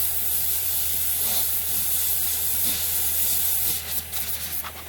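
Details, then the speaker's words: Mercedes with a loud, steady hiss over a faint engine hum as it spews heat off; whether it has a leak is unclear. "So, it seems to be coming up slightly. Spewing its heat off, but has it got a leak?"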